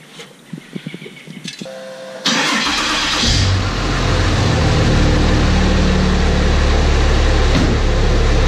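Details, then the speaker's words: 1000 hp 6.7 Cummins Dodge Ram drag truck after a bad noise at the track, with flexplate-to-converter bolts found out and the converter loose: starter cranks and the diesel settles into a steady, even run without knocks. "well that's more of how it's supposed to sound"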